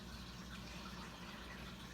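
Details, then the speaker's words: Eheim canister filter on freshly moved, slightly tilted tank: steady gushing water with frothy bubbly churn at the output as the pump cavitates constantly; suction/intake side fault suspected, likely air leak. "And it's just cavitating and cavitating and spewing bubbles out."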